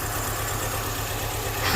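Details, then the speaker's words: 2005 MINI Cooper petrol engine idling with one fuel injector unplugged to simulate a clogged injector: RPM drops and it misses with an uneven puff-puff beat from the dead cylinder. "You're going to hear the engine change RPMs. You hear how it's missing."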